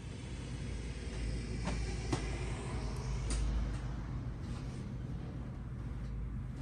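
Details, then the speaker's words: 1970s EZGO golf cart after internal starter-generator repair, driving in the evening: a low steady drone with a few faint clicks. The engine runs smooth and even and sounds healthy. "this thing driving great it's driving great just like i told you guys it would and it drives well too it runs great"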